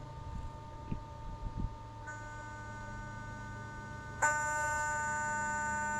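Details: Sea Ray boat engine idle air control valve, likely the replacement unit, during its actuation test: a steady high electrical buzz switches on and holds. The old failed IAC did not do this; the new IAC fixed the low 580 rpm idle.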